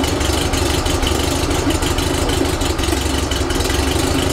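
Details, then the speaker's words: Rebuilt 1835cc air-cooled VW flat-four bus engine with vintage speed muffler, first start after rebuild, not yet tuned: steady, even idle with a low throb, no knocks or misses; ran with no real problems. "So it ran successfully with no real problems."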